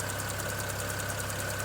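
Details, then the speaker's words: 2009 BMW 335i N54, engine running with the heater on after an upper radiator hose replacement: light, fast, even ticking over an unsteady idle; misfire, owner suspects a ticking ignition coil, unconfirmed. "I can hear a coil ticking, may be able to hear it as well. Probably the culprit of my misfire."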